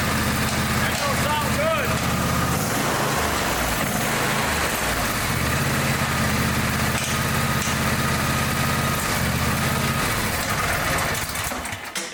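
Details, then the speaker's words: Twin with a broken-off spark plug: rough, uneven clattering over unsteady running. A spark plug fragment is trapped in a cylinder; teardown planned. "pieces of spark plug I guarantee there's piece of spark plug in there and it's like a kidney stone and it won't pass through and it's making that horrible racket"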